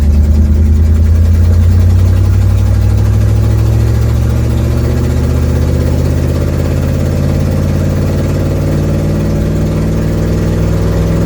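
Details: 1972 Ford Mustang driving home, phone in the dash, before repair: heavy low drone easing off as the car settles, with an uneven puffing rasp underneath, from an exhaust leak.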